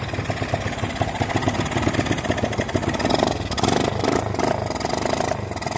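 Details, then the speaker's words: Honda XL185 that sat in a barn 20 years, with good spark, compression and timing, kicked at full throttle: idle stumbles and lopes with missing beats, loading up rich. An incorrect starter jet is causing rich running. "pay attention to the throttle position as another clue two [Applause] kicks made it worse"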